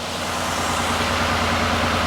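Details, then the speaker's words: 2005 Mazda Tribute (Ford Escape) after torque converter replacement and transmission fluid top-off, idling through heat cycle after gear cycling: smooth, even low hum with no knocks or surges; normal warm idle. "So as long as we go through a good heat cycle and everything runs accordingly, then we'll go take it for a spin."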